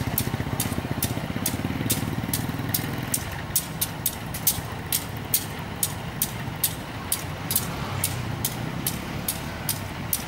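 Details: Indonesian diesel locomotive at a train crossing: a slow diesel thrum with a sharp tick about every half second over the idle; not a wheel or tire fault but the normal sound of this engine.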